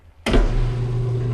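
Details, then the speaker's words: Maytag LAT8240AAW top-load washer after lid switch (22001682) replacement for a will-not-start fault: steady low motor hum kicks in and holds with no knocks or scraping, normal spin and drain; opening the lid stops the unit. "so obviously we're spinning right now it's starting to drain so everything seems to be operational"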